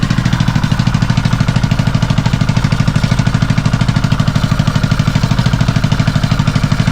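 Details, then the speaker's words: Kawasaki Mule idling in neutral with the brake set: loud, even pulsing chug with a hollow rattle on each exhaust beat; no visible fault, and the exhaust is suspected of coming loose, unconfirmed. "It's obvious there's a problem, but I don't see a problem."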